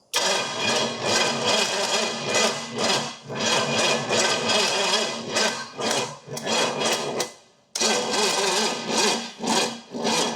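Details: $500 Pontiac 455 V8 that had water in a cylinder and feels tight, being cranked after the distributor timing was advanced and the fuel changed: uneven cranking with ragged bursts and dropouts, misfiring without settling. Timing is being rechecked.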